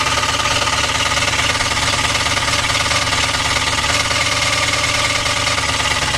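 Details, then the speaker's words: 1964 Impala 4-door hardtop sitting about 40 years, running on fuel poured in: a rough, uneven knock about three times a second under a clattery idle; rod knock or flex plate suspected, not confirmed. "It sounds like a rod knock or something with the flex plate. I'm not sure. It runs, so it's just a matter whether that noise is something just underneath the car or if it's in the bottom end."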